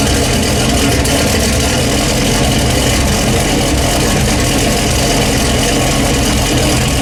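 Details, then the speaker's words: Dodge Ram SRT-10 with new turbo kit and 3.5-inch downpipe, first start: loud raw idle with sharp puffing hiss over the rumble; exhaust leaks at the flange with old gasket and possibly the V-band collector. "holy crap is it way louder yeah three and a half inch down dip thing and they'd away cook thing is loud there's a couple of exhaust leaks I gotta deal with"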